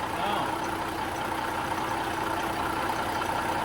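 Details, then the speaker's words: Caterpillar diesel in a Peterbilt 359 at idle with a new PDI stage 1 turbo replacing the smoking, rattling old AiResearch: smooth, even idle, steady light turbo hiss, no rattle or knock; turbo sounds healthy. "The old turbos research. He wasn't doing good. And this one doesn't make rattling noises."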